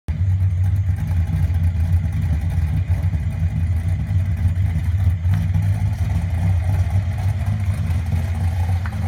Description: for diagnosing misfire